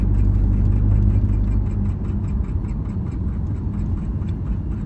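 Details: Porsche 718 Cayman GTS 2.5L, sound from front of engine: light, even ticking about four times a second over a smooth idle, stopping after 30 seconds and not recurring; suspected pulley noise.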